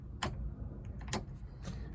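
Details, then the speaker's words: Standard Vanguard in light rain, ignition on, overdrive switch flicked to off: three sharp relay clicks in about two seconds, silent when on; overdrive circuit wired incorrectly. "I switch ignition on, hear nothing. Flick the switch to the off position. You can hear the relay if it doesn't coincide with drops of rain on the roof."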